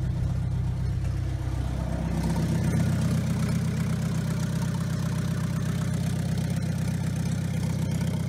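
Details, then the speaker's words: Diesel car run with the turbo removed: deep steady pulse picking up smoothly with throttle, no whistle, rattle or knock; the noise is gone, confirming turbo was the cause. "طبعا كانت الفكره متاعي صايبه، فك التربو وشغل السياره بلاش تربو ولقاها الصوت ما عادش موجود وتخلص منه."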